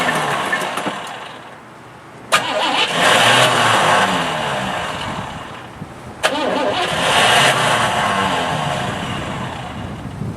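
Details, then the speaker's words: Old Cadillac, carburetor primed and fresh gas added: a sharp click, then the starter turns the engine briefly and falls away, twice; it keeps kicking out due to a weak starter solenoid. "Well, it's trying to start. It's got a weak starter solenoid. Keeps kicking out."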